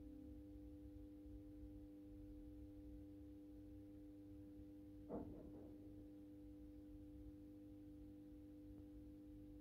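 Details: AEG Minikoffer West German post-top mercury vapor streetlight with its mercury ballast, starting its intended 125 W Osram Deluxe mercury vapor bulb. Quiet, steady low hum with a pure ringing tone, one brief knock midway: normal choke ballast hum.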